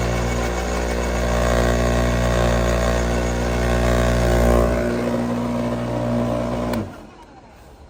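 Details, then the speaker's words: Bosch AXT 2200 garden shredder after blade adjustment to zero clearance: even, steady motor hum holds pitch under load shredding a branch and cuts off cleanly; cutting smoothly, no bogging, adjustment now correct. "Tama na yung adjustment niya okay"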